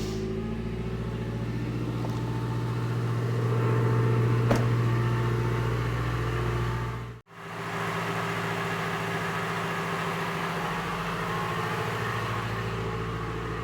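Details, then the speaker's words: Engine after all four fuel injectors replaced (one had flowed about 15% less than the others) and leaking fuel fittings with old O-rings renewed; first startup shows a steady, even, smooth note with none of the earlier popping and banging. "So I could tell a difference already with the initial startup. It didn't have any popping and banging. It's a whole lot smoother."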